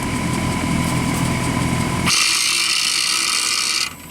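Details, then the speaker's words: Bryant heat pump failing in winter: compressor gives a deep strained hum for two seconds, then a hissing rush and abrupt cut-out, drawing over 40 A up to 54 A before internal lockout; bad compressor. "Oh shit. Sounds like a bad compressor, doesn't it? We went over the limit, over 40 amps."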